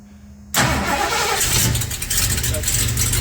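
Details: 1950s Ford C600 truck with Holley Sniper EFI and HyperSpark distributor, no-start fixed by turning the rotor 180 degrees: quiet, then a sudden catch into a loud, steady run that keeps going; engine starts and runs.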